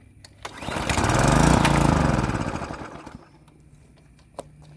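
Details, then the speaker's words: Craftsman edger with a Briggs & Stratton 550 series engine that would not start on fresh gas, after the carburetor was swapped for an OEM one. A rapid pull-start chatter, then the engine catches and settles into a quiet, steady run; starts normally. "Well, it started. That's a good start."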